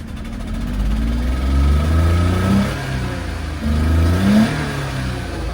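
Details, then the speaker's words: Suzuki Carry dump truck with diff lock, four-wheel drive, about 20,000 km: uneven, lumpy revving with wavering low throb, runs rough as if about to stall, poor response at full throttle; owner suspects exhaust leak or old gas. "Maybe just an exhaust leak."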